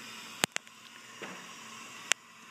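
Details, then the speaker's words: Acura Integra B18B1, leak-down test with cylinder 3 at top dead center: steady faint hiss of air escaping past the exhaust valve, more leakage than cylinder 1. "unfortunately we have a leaking exhaust valve our number one cylinder so right now we are set up on cylinder number three this cylinder has even more leakage you can clearly hear the air escape"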